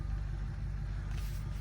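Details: Car at a Copart auction yard, just started and idled down: low, steady rumble with an even beat and no knocks, ticks or misses, warming up before any revs.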